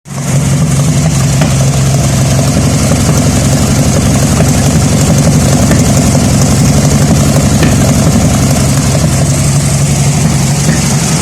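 Loud, uneven idle with an irregular stumble and puffing beat rather than a smooth rhythm; the engine is misfiring at idle.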